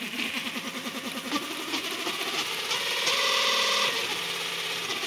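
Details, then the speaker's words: JET BD-11 lathe under CNC conversion with a 1.5 kW servo: the spindle belt drive on the stock belt gives a steady whine with fast rattle. It is nearly silent up to 400 rpm but whines from 600-800 rpm, as the wide HTD8M belt did. "тише стало на штатном ремне, но вот этот вот вой на больших оборотах всё равно остался."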